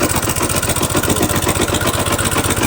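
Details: Motorcycle brought in not pulling and smoking, engine not opened: lumpy, uneven idle thump with a hollow, labouring beat; cam timing several teeth off, so it runs rough and won't pull.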